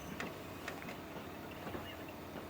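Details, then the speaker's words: Original Xbox DVD drive from an orange-light console, never opened: faint, uneven laser ticks a few times a second over a quiet hum as the sled hunts back and forth. It spun up fine at first, then failed to read; owner suspects gummy drive needing cleaning and lubrication. "yeah I can hear it kind of clicking and just the disc is just kind of back and forth a little bit it's having the problems reading it"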